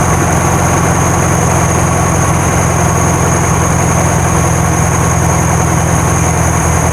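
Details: 1972 VW Karmann Ghia air-cooled flat-four, first start after sitting many years, no choke set up, valves not adjusted: loud steady idle with slightly lumpy irregular beat; normal idle, slightly jumpy.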